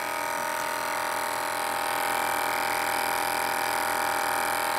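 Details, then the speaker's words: Battery-powered Aquatop aquarium backup air pump with AC power-failure sensor, running on two batteries: steady, even buzz with a fine rapid flutter, no pitch change, louder than the original pump, quieter with lid closed; normal running. "I'm going to turn it on with the two batteries it's much louder than the original right there it's kind of quiet when you close it"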